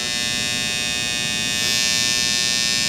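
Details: Andis Styliner 2 trimmer after power screw set back right until quiet, maximum power: smooth, even high buzz, steady pitch, no rattle; motor and blade running quiet and correctly set, normal.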